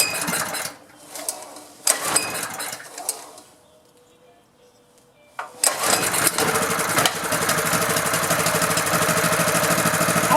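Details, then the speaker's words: Honda GX engine pressure washer that sat outdoors about 10 years, first pull-start attempts before oil change: after a few tries it catches and settles into a steady, even run; sounds healthy. "so first poll how about that boy that sounded good"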